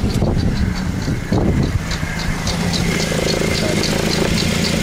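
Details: Suzuki with a misfire that persisted after the owner replaced all coils and plugs: uneven idle with a lumpy beat and light ticking. Unplugging coils singled out cylinder 3 as the low-compression cylinder.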